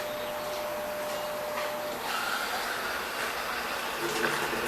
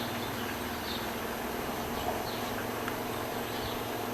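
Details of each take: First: Brastemp BWG11 washer with intermittent water inlet, after fixing the fault tied to opening and closing the lid; steady even hiss of water filling, no valve buzz or chatter: normal water fill. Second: Brastemp BWG11 washing machine filling with water: steady low buzz and hum at the water inlet, apparently from the inlet solenoid valve; the owner had also suspected the control board.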